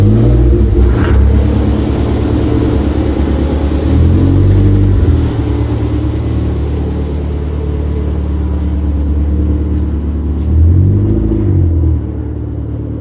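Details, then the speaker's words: Toyota MR2 on road after wheel rub fix: engine climbs and falls through revs over steady road rumble, no rhythmic scraping following wheel speed; rub gone, sounds much better. "took it for a drive it seems like that's exactly what it was so it sounds much better"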